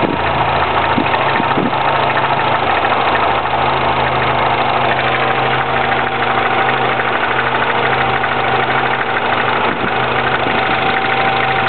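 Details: 2009 Mini Cooper S cold start idle with an irregular light rattle about three a second over a busy engine hum; possible timing chain rattle, unconfirmed.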